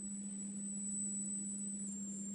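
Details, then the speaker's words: Refrigerator that switches on when cold and off when warm: thin steady high-pitched whistle from the control board over a low electrical hum, exact source on the board unknown; ice maker plastic near resistors damaged. "значит что я обнаружил на плате такой вот звук издаётся пищит свистит такое похоже не знаю вот слышно или нет"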